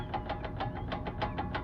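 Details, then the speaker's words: 2000 Jeep TJ front axle, with the caliper and brake disc removed: quick metallic clacks, about six or seven a second, plus squeaking as the axle is rocked. The worn u-joint has visible slop. "u-joint knocking around so more than likely you'll be able to see back in here where the u-joint is there's a little bit of slop that's our issue got some squeaking going on that's gonna be part of our problem"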